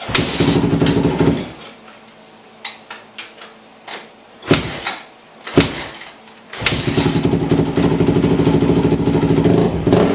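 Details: Yamaha YZ250F single-cylinder, just fitted with a new Wiseco clutch kit and filled with 10W40 oil, thumps at a steady idle, briefly cut then restarted, settling into an even, clean run with no knocks or rattles; normal idle.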